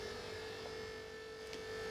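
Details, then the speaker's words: Scavenge pump test with the engine off: a quiet, steady electric hum for a couple of seconds, triggered on ECU reset when fuel pressure is sensed; the pump runs normally and is stopped quickly so it does not run dry. "so it sensed there was fuel pressure in the system and it triggered that"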